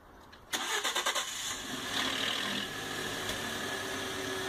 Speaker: You're really going to want to pay close attention and every year, every oil change, just try to listen to the engine and see if you can hear any rattle coming from the timing chain.